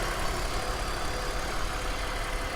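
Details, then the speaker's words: Vehicle at a Copart auction running at idle: very quiet, low even hum with smooth steady beat, no ticking or knocking; runs like a top, normal healthy idle. "She runs like a top, and I'll bet she drives great."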